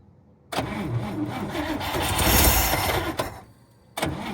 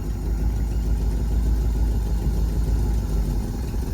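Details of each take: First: 1954 Cadillac (12-volt) said to have last run three years ago, with gas poured in and a borrowed battery. The starter churns about three seconds and it coughs but won't catch. Probably flooded; no spark from worn wires is suspected. Cranks but will not start. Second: 1954 Cadillac V8 with 12-volt battery borrowed from a 1959: low, steady, even idle rumble with no knocks or misses, quieter than the 59; running smoothly.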